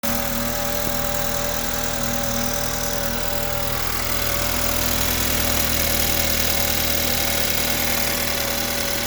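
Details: 2014 BMW 328i N20 petrol four-cylinder (built 06/14) started cold, idling and revved; busy metallic chatter with a faint high whine on top, suspected timing chain noise, unconfirmed.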